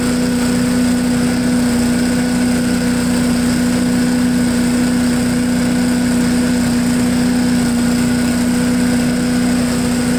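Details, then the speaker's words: Honda 5HP engine on MTD Yard Machine push blower, sat unused 2+ years, now revived: steady clean high hum at full throttle, no stumbling or surging; throttles right up with no hesitation; normal full-throttle run. "okay so it even throttles right up with no hesitation i'm thinking to just leave it alone"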